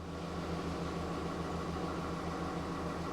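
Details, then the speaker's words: 2009 VW Beetle 1.4 petrol just started after an oil and filter change, not revved, waiting for the oil pressure light to go out; soft, even low pulsing at steady tick-over with no knocks, misses or rattles; healthy idle. "you don't need to rev it it's not a good idea to rev an engine that's just been started particularly if it's been drained of oil just make sure the oil lights oil pressure light goes out it sounds"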